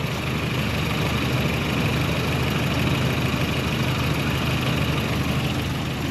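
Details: Toyota pickup after a faulty ignition switch that kept the starter solenoid stuck engaged was sorted, running via a temporary starter cable; steady low, even idle with no knocks, misses or starter grinding. Normal idle.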